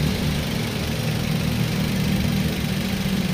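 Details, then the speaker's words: 2010 Toyota Avanza G manual, engine bay with original seals and bolts: even, steady, crisp idle with no hunting, surging or knocks. Normal idle, healthy engine. "Ini suara mesinnya teman-teman bisa dengar sendiri ya, masih garing, suaranya stabil, nggak turun naik, stabil."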